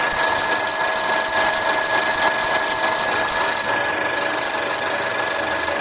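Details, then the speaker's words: 2013 Mercedes C180 W204 1.6 turbo, 91,000 km, idling: quick, regular high chirping, about three or four a second, from the old original accessory belt. "o barulho Qual que é o barulho que ela tinha apenas a correia tá"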